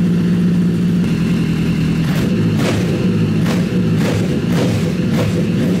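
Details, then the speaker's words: Freshly rebuilt Honda CBR1000 engine in a buggy after major cylinder damage, running in the frame: even, steady exhaust note with clean beat and no knocks or rattles; sounds healthy, much better than before the rebuild. "ah it's running it's right it sounds healthy it sounds so much better so much better than it did last time"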